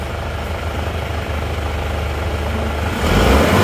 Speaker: tapi kalau digeber kalau gasnya kita geber itu akan tetap mengeluarkan asap kalau mesin diesel itu